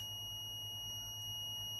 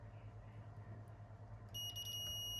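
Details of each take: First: Minelab GPX 4500 metal detector that came back worse from an earlier repair: a steady, unbroken high continuity beep from a connection that is shorted by design, which is normal. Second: Minelab GPX 4500 metal detector, worse after an earlier repair: a steady high continuity tone, drain to source, shows a dead shorted transmit driver MOSFET. One driver was replaced before and the other failed, causing funny waveforms.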